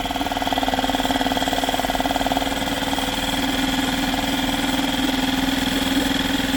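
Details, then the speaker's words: Yamaha 2.5 hp four-stroke outboard, just fitted with an aftermarket carburetor, started first pull; checking idle speed in gear: steady, even low putter that holds speed with no misses or knocks; normal idle in gear. "So we'll start it up, let it run, put it in gear, check that idle speed again."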